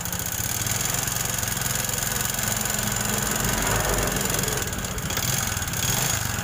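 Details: Honda Supra X 125 single-cylinder with a very rough engine, louder when hot: harsh, uneven clatter over a busy idle, likened to a hand tractor or nail factory; worn piston and valve guides.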